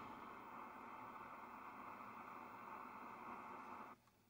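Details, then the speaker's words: 1980 RCA Playmate 9-inch black-and-white TV model AER095L, estate sale find, first power-up: steady frying high-voltage corona hiss inside the set about four seconds then cuts off sharply, with strong corona smell; needs cleanup. "raster can hear the corona inside the set that's what that hissing is"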